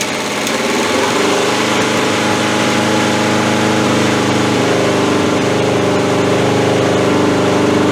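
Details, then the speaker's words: 1981 Honda CB750 K four-cylinder, cold start with old fuel and the fuel tap forgotten off: engine catches unevenly, stumbling and fumbling before settling steadier once fuel turned on; fuel starvation stumble. "as you can hear it stumbles and fumbles and everything else and then that first I forgot to turn a gas on again"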